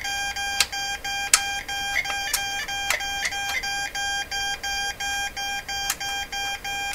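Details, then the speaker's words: Morse Writer keyboard keyer for ham transmitters, thought to date from the mid-1970s and possibly kit-built, maker unknown, on power-up repeatedly sends the letter E as evenly spaced mid-pitched beeps, about two a second; owner wonders whether the E key or another button is stuck. "okay so so far the the morse code message has been the letter e over and over and over and over e e e is the E button stuck any buttons stuck"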